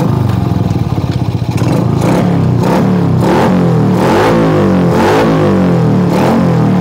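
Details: Shogun R 110 after repairing short circuit in gear indicator light wiring that killed engine in first gear: small single revs and drops back cleanly in repeated blips, no stalling or misfire; runs normally.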